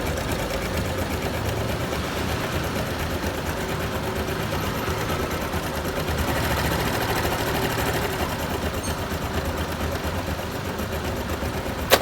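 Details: Honda Super Cub JA44 at 57,291 km, idling: steady fast sewing-machine-like ticking rattle with no change in pace; abnormal engine noise, cause not pinned down.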